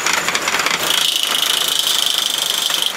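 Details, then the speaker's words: Old electric trimmer, modified, labouring under heavy load with water poured on as it burns: strained high-pitched whine over a fast rough rattle; motor overloaded and burnt up moments later. "let it go we have it's working extra hard keep it"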